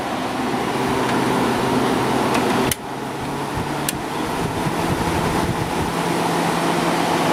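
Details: Fedders 8,000 BTU air conditioner with Sanyo compressor, from the 1990s, after cleaning the coils and base: steady fan rush with a low even hum, a sharp thermostat click partway in as the compressor cuts in; runs normally.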